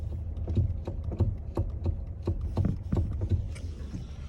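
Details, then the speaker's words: 2013 Kia Ceed: irregular dull knocks thudding through the steering column; electric power steering knock, likely a disintegrated rubber coupling star inside the EPS unit. "поступила машина Kia Ceed 2013 года пробег вот он вот такой стук у него если послушать"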